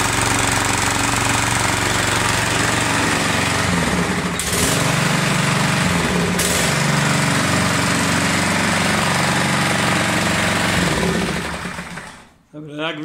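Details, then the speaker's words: Lawn mower after pre-season service with new spark plug, new air filter and sharpened blade: fast, even single-cylinder chatter at steady speed without misses, running smoothly, then shut off. Normal running. "kucharka bardzo ładnie pracuje nie przerywa i tak naprawdę zakończona sukcesem"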